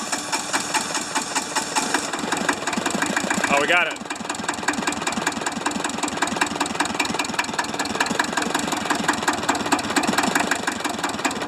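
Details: Hinomoto diesel tractor, once stuck, just cold-started at about 40s °F after glowing: rough, clattery idle with uneven pulses and an early stumble. Owner suspects low compression, half-working glow plugs or poorly spraying injectors; not confirmed.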